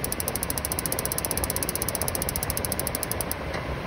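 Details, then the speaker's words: DuoTherm 65017-64 furnace in a 1982 Layton travel trailer, fails to ignite intermittently in freezing weather, tested during repair: fast, even spark ticking for about three seconds, then a click as the gas valve safety shut-off closes. "that's the gas shut off safety feature i was mentioning"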